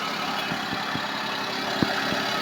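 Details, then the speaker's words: Suzuki Palette wagon, new belt squealed again after a month on start: cold start settles into even idle with no belt squeal or chirp; belt only needed tightening, if it returns suspect compressor, alternator or pump bearing; normal idle. "So galing sa malamig inandar natin hindi na siya tumunog. So higpit belt lang tayo."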